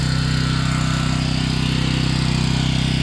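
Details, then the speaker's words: Home standby generator warming up with choke retracted, no load; steady constant-pitch drone with firm regular beat, no hunting or misses; normal no-load running. "So, right now, we're giving this machine an opportunity to warm up a little bit and be ready."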